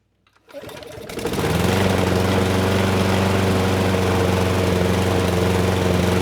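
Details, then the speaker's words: Craftsman mower, Briggs Quantum 128T02, restarted after cooling: starts up, then a steady, slightly labored run that never cleans up; the auto choke air vane isn't fully turning the choke off, so it runs rich, possibly disturbed during the carburetor swap. "yeah something isn't quite right the air vane should be turning that completely off and it's not able to do so"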